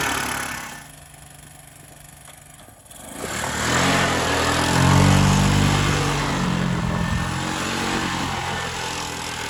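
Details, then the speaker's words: 1984 Honda ATC 200M single-cylinder three-wheeler, barn find stored 30 years, running after parts replacement and repairs; choke cable off, choked by hand. Thumps from quiet idle into strong even beat pulling away under load; runs like a charm, normal. "He runs like a charm. Better than a John Deere."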